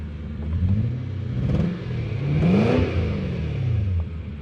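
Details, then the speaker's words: Toyota Soarer (Lexus SC400) V8 recorded from the driver's seat with the window down at about 110 km/h, exhaust rising and falling through revs with an uneven, stumbling beat; injector-related engine misfire under acceleration. "but you can really notice the misfire up here now don't stop misfiring oh there it is"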